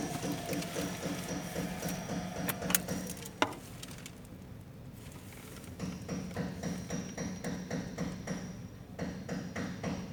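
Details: Idling engine surging and sagging in uneven bursts of rapid ticking from a cylinder 4 misfire, with no check engine light or trouble code.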